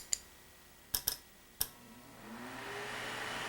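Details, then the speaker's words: Microwave-part shop fan on the bench: shorting a switch that turns the fan on; a few sharp clicks, then a soft airy whoosh builds smoothly as the little fan spins up and settles evenly. "this one i found out let me plug it in and we can see this one if we short this it actually turns on the fan"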